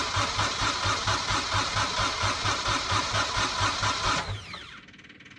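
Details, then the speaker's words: Kubota diesel engine after a starter upgrade to an 8-tooth pinion, 1°C cold, heater plugs unchecked: even cranking at about two compression pulses a second for four seconds with no firing, then the starter spins down; cranks but won't start. "give it some more heat belly give it some heat it's one degree belly 1° cold yeah that's a shame cuz these little Kotter engines they usually start pretty"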